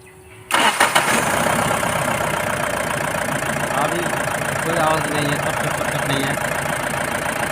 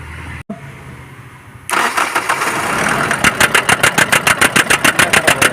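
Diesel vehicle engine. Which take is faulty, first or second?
second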